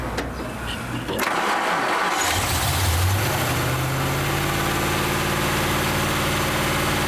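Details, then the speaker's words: Rat rod engine after carb strip-down, clean and refit: catches after a short crank and settles into a fast, steady tickover that won't drop; high idle, owner suspects jets, gasket or power valve. "I cannot get the tickover down for some weird reason I could just be because the Jets it could be because the gaset set needs replacing"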